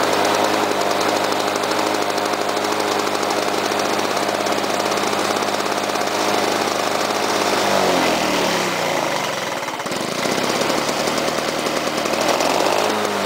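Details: Lawn-Boy mower, previously unused about ten years, started manually with no primer after flooding on choke: a loud, raspy two-stroke roar that sags and dips in speed before recovering; runs but needs minor carburetor tweaking.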